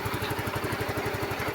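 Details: Yamaha Mio i15 scooter brought in for a no-start with a blown fuse; regulator, 13.5 V charging, relay and ignition coil checked OK. Even, steady putter at idle, roughly nine or ten beats a second, no misses or knocks; idling normally.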